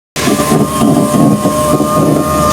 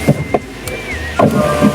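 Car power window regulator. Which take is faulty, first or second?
first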